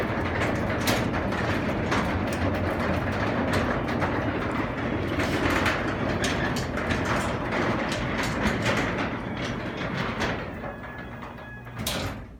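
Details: Craftsman garage door opener, recorded from a ladder near the top, door closing by remote: even clatter about three clicks a second over steady motor hum, winding down smoothly at stop; normal run.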